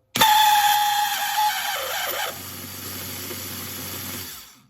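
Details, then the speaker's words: eBay replacement starter motor for a 1984 Honda CBX750, bench-tested: loud harsh whirring with thin whistling tone, spins a little slow, then slowly winds down; defective, owner suspects a bad bushing or bearing. "It's a little slow, but certainly this is making a lot of noise, so I suspect there's a bad bushing or a bad bearing."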